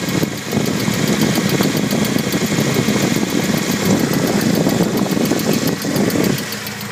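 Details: BMW E30 318is M42 petrol engine running with fast steady ticking, still present after replacing the timing chain tensioner; source unidentified.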